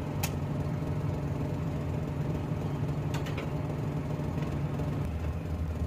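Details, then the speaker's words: Suzuki Mehran (2014–16 model) petrol engine at low uneven idle with occasional stumble and sharp ticks, missing and hunting; long cranking on cold mornings; misfire with rough idle from a bad fuel injector. "आगे मैं आपको engine की situation check करवाता हूं engine जो है ना वो काफी व्यवहार रेट हो रहा है और मिसिंग ए रहा है"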